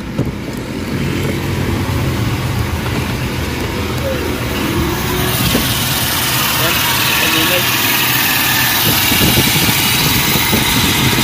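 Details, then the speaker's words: Toyota Revo gasoline, distributor-type engine at idle: dry rough rumble and hiss over the engine beat from a loose, noisy tensioner pulley bearing on the power steering belt; pulley and bearing replaced. "Okay so ang problema nito is Yung kanyang pulley guys napakaingay nitong bearing"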